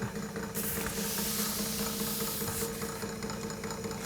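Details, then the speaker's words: 1940s Peirce Model 55B wire recorder mechanism running; hissy with a soft, fairly even knock about two to three times a second, likely from a mild flat spot on a hardened rubber drive part, suspected and unconfirmed. "probably because there's a mild flat spot on it the rubber bands are working"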